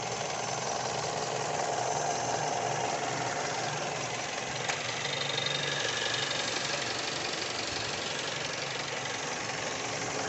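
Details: 2013 Mazda 6 petrol engine running with a faint repeating squeak like a belt chirp, but it comes from behind and under the engine; source not yet found.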